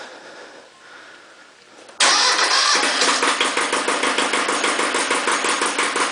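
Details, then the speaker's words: Iseki TX-series tractor diesel (KE70 engine) with some blowby: starts at once and settles to a steady, even idle; runs fine. "it's a pretty good running engine and regardless of the blow by it's i'm happy with it"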